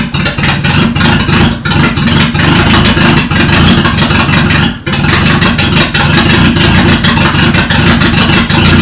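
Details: Toyota Corolla, first start after the engine was reinstalled: loud, steady idle with an even low pulse and no misses or knocks. It runs fine.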